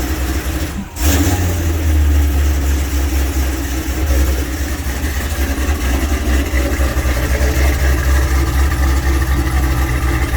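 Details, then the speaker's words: Cadillac CTS-V LT4 with rebuilt 8L90 transmission, idling and surging in and out about four times a second: a dropped 10 mm bolt shorting the starter positive terminal made charging voltage fluctuate. "so it was throwing the voltage up and down up and down that's why you hear it kick in and out"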